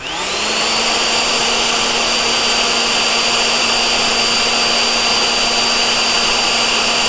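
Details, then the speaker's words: 84V Nikola Plus electric unicycle replacement cooling fan: spins up to a loud but steady, smooth whir with no rattle or grind; bearings good. "it's loud but much smoother sounding it's the same fan - just not high quality"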